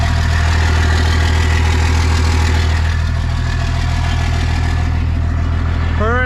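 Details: 1998 Dodge Ram 2nd-gen Cummins diesel, first run after problems solved, no coolant so run briefly: deep steady idle, even and smooth, no knocks or misses; oil pressure and charging OK; normal idle.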